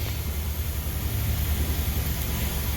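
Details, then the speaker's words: 1989 Pontiac Bonneville, GM 3800 V6, just after fuel filter replacement: low, steady, even idle with no stumble or miss, left running a few minutes to confirm it holds fuel pressure; normal idle. "let's start it up we'll let it run for a few minutes make sure it can keep its fuel pressure and not have an issue and we'll just let it run there for a minute"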